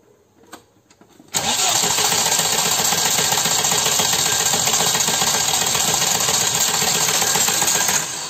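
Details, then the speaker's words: VW Passat B3 single-point injection (monoinjector), long steady cranking that never catches, engine won't start and idle was unstable; air sucked in through failed lower gasket under throttle body/injector unit. "машина троллила троллила холостых не было немножко разобраться и понять candida виде как плохо заводится"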